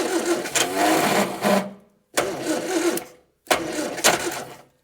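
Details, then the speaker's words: 1965 Morris Minor 1000 barn find, unstarted for over 40 years, with the carburetor just refitted and possibly short of fuel: three bursts of cranking with uneven attempts to catch that never take, because the plug leads are firing in the wrong order. "It's trying. It is definitely trying its hardest. It will go. Right, so these are definitely in the wrong. I can hear it firing in the wrong order."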